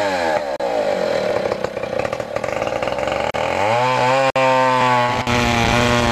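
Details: 1959 Stihl Contra chainsaw, 106cc, 6 hp, Tillotson HL112C carburetor; raspy two-stroke buzz revs high, drops and settles to a steady lower note, running cleanly with no misfire. Normal running.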